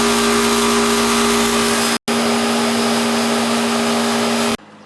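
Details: AC outdoor condenser unit after replacing a bad capacitor: steady even hum with two clear low tones over a constant fan rush, no clatter or buzzing; compressor and condenser fan running normally.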